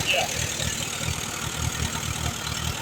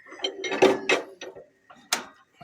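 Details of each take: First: 1938 Allis Chalmers B with Waukesha gasoline engine, recently bought: uneven, lumpy idle with irregular firing and a hunting beat. It only keeps running on choke, plugs are a bit rich, and the carburetor needs rebuilding. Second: 1938 Allis Chalmers B with rare Waukesha engine, hand cranked: a few sharp metallic snaps at irregular spacing with good compression; magneto impulse coupling working normally.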